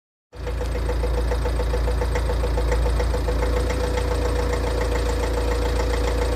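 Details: Tata Safari DICOR diesel idling: a steady metallic rattle of about three or four knocks a second on the engine beat, plus clutch release bearing noise; knock suspected to be mostly from a glow plug, not confirmed.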